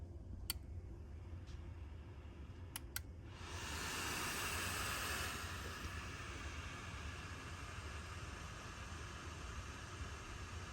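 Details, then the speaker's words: Lincoln MKZ front seats after repairing the heated/cooled seat wiring harness: a few clicks, then a soft, steady airy whoosh with no rattle; the cooled-seat fans are running normally. "But as you can hear, the fans are running for the heated seats, or sorry, the cooled seats."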